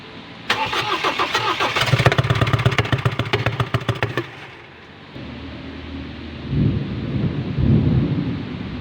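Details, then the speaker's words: Ford Ranger 2.0 that suddenly died, started after new timing belt, serpentine belt, tensioner and front cover were fitted; harsh, uneven clattering knock at about three to four beats per second, then a rough lumpy idle, "sounds like a Kubota"; valve cover to be opened to investigate. "At yun guys, narinig nyo ang tunog. Ang Ford Ranger ay nagtunog kubota."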